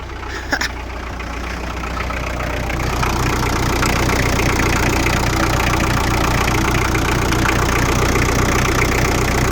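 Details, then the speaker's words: Daihatsu Rocky Fourtrack diesel, barn-stored about 5 years, firing up after preheating, then settling into a steady low idle that builds slightly and holds even, no misfire; started easier than expected, normal idle. "That started a lot easier than I expected."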